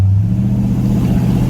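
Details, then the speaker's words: 1976 Ford Thunderbird big-block V8 with new high-flow true dual exhaust after a top-end overhaul, heard from the cabin under throttle. Deep, even burble rising smoothly; the engine is audible on the gas with no excessive drone, rattle or blowing: normal exhaust note. "Oh, it's good. It doesn't overly drone, so that's great. Uh, but when you hit the gas at all, it actually you can hear the engine. It sounds good."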